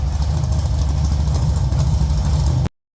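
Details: Rebuilt V8 race engine on first start, oil pressure confirmed: deep, lumpy low rumble idling steadily with no knock or miss, then cuts off; runs healthy.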